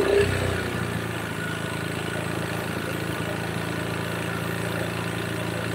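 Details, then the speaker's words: Honda Beat scooter blowing oil out of the crankcase breather into the air filter box; blipped at idle, a dull uneven ticking knock from the piston, likely piston slap after the engine once ran out of oil; piston to be dismantled and checked. "tapi kalau diperhatikan Iki suarane ngletek bagian pistonnya jadi muni nekan oli keluar muni nekan oli keluar terus kayak gitu"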